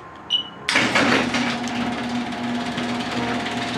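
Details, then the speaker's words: Garage door opener triggered through a relay by a converted car alarm; a click, then the opener motor starts and settles into a steady even hum with faint chain rattle, working normally. "that's all there is to it you can press it again that's the relay buzzing"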